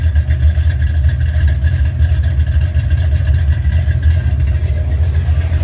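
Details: 1970 Chevelle 454 big-block with flat-tappet cam, cold start after cam break-in and oil change: loud, lumpy idle pulsing evenly at a couple of beats per second, no tapping or knock. Normal cold start.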